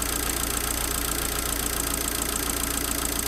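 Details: Abarth 500 after a thicker replacement auxiliary belt was fitted, running with the alternator removed: even, steady idle with a smooth hum and no belt-drive squeal or chatter. Noise traced to the old belt. Normal idle.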